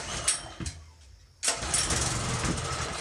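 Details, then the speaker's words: Trash-picked Generac 2700 PSI pressure washer with green corrosion on the carburetor: the small engine catches on its own fuel, stumbles and drops out, then fires again and struggles unevenly; won't stay running, a dirty carburetor is suspected. "Ah, come on. It's not going to stay running. You're joking me. Why doesn't it want to stay running?"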